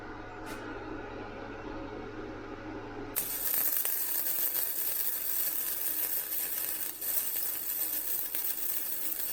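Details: Vevor MIG 130 flux core welder raised to 55, flat bead with slower travel and slight weave: after a short quiet lead-in, a steady, even frying crackle without sputtering; much better, though possibly too hot for a gapped butt weld.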